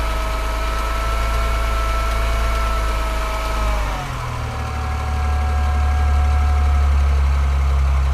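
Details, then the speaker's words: BMW 335i N54 after Chinese 17T hybrid turbo install, first start, revved to limiter then back to rough idle: light uneven metallic tick about four per second over exhaust drone; exhaust leak or injector suspected, possibly always present, unconfirmed. "It sounds too metallic-y. And it doesn't sound super consistent. It sounds like something is changing or slapping or."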